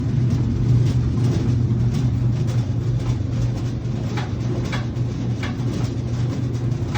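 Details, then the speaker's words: Whirlpool/Maytag dryer that is noisy, takes longer to dry and leaves clothes damp: a drone with irregular scraping ticks. The blower wheel is rotating on the motor shaft instead of spinning with it. The fix is to remove it with a step drill bit. "You've heard the noise. This is the issue. The blower wheel is rotating on the shaft. It is not spinning."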